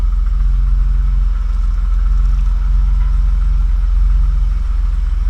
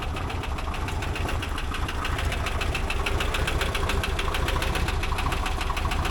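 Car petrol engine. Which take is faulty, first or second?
second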